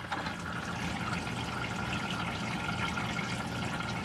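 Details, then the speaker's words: Washer-dryer in a 2022 Rockwood 2899KS fifth-wheel RV: soft, steady rush of water running in from the back of the drum, with no hammering, buzzing or chatter. Normal water fill. "okay i guess we will open this because you can hear it now yeah it's running in from the back"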